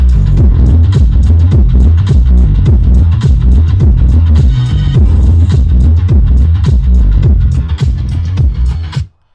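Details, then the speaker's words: 2014 Mazda6 Grand Touring driver's-side front door Bose speaker after regluing its separated cone with CA glue: bass-heavy music plays cleanly, no rattle or buzz on low notes. "let's see if it still rattles [Music] well that sounds a whole lot better"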